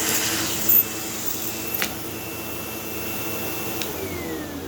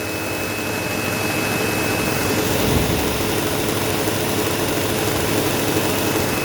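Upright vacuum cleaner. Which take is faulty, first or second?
second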